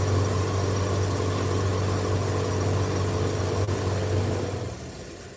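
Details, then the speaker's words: Dryer drum turning and coasting down: deep, steady droning rumble; worn drum bearing noise, still needing repair. "I mean, it's not that bad. I mean, I do have to fix it still, but... Okay. Also, you can hear the bearings, obviously."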